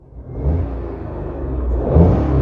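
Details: Maruti Suzuki Alto K10 revved lightly in neutral as a test for gear-stick shaking; engine rises smoothly from low rumble to steady higher rev with no knocks or rattles, normal revving.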